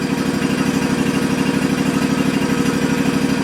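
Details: Cub Cadet ZT1 Ultima mower after key switch replacement: small engine keeps a steady, even putter at constant speed with no misses or stumbles; starts and stays running normally.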